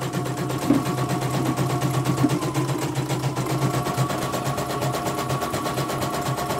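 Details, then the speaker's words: Embroidery machine after service: even, quick mechanical clatter at a steady rate with no knocks or stumbles; normal smooth running. "Oke, ini kita tes ya. Suaranya juga halus."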